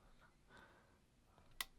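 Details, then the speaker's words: Relay inside a Sonoff Wi-Fi smart switch toggled from the SmartThings app after boot: one sharp, crisp click in a quiet room; the relay is switching normally. "should be able to hear that relay clicking on and off as I turn it on in these smart things app"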